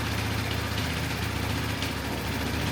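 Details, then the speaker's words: 1985 Honda Elite scooter revived after fuel flush and idle screw adjustment, plastics off: small single settles into a steady, even putter at idle, no misses or knocks, decent wide-open-throttle response; running properly. "that sounds like a happy arrival right sounds pretty good I think it runs"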